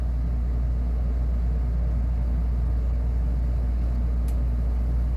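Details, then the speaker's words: Newly installed Atmos 4.4 air conditioner on a 2014 Leisure Travel Vans Unity Murphy Bed: low, smooth, constant rumble with no knocking or cycling; the compressor is running normally and very quietly. "yeah, Compressor is running. boy, this is quiet."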